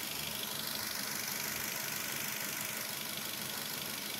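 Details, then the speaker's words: Toyota Avanza 1.5 after replacing the battery with a Century NS60L while running: restarted engine holds a steady, even idle with no misses or knocking under a hissy background; normal. "Kita matikan ni, dia hidup balik okey, matikan. Kita start. Tengok dia okey tak? Okey, alhamdulillah settle."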